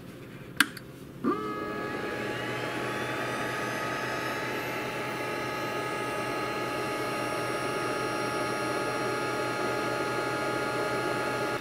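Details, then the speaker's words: Glowforge laser engraver/cutter, about six months old, lid open, startup cycle doing a systems check: two sharp clicks, then an internal fan spins up with a rising whir and settles into a steady, even hum; normal startup. "that sound you're hearing is the startup cycle of the machine doing a systems check and starting a internal fan"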